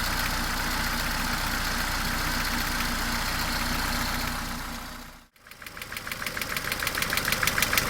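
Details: Mercedes A-Class W168, 1.6 L petrol, automatic, 18 years old, about 150,000 km: steady engine hum, then sharp regular clacking about three per second, louder than normal valve chatter; cause unknown.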